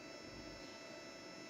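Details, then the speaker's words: Syrotech 4-port Mini EPON/GPON OLT running 24/7; its cooling fan runs when the unit heats up, giving a steady, even airy whir with fixed tones and no rattle or grinding; normal fan noise. "ये आप जो आवाज़ देख रहे होंगे OLT चलने का आवाज़ है। जब OLT हीट होती है तो इसका फ़ैन चलता है, इसलिए काफ़ी आवाज़ आती है,"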